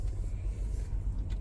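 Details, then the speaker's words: 2013 BMW X5 xDrive35i 3.0, cold engine, after fixing a crank-no-start with no voltage at terminals 87 and 15: a low, steady idle rumble with no misses, ticks or knocks; normal cold idle. "as you can see now everything is running good and um it's a cold engine but uh you're gonna warm up and that runs a little bit better you know"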